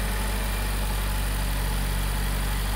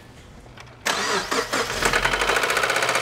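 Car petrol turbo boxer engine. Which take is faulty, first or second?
second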